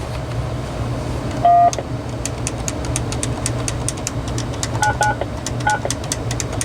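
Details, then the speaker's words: RadioShack 2554-style corded wall phone (category 43-842), tone dialing heard over speakerphone: several key presses come through silent and only a few give short tones. Keypad sensitivity issue, mainly keys 3 and 6, somewhat 1. Cause not confirmed. "It's really just 3 and 6 that are having a problem. Oh, somewhat 1 as well."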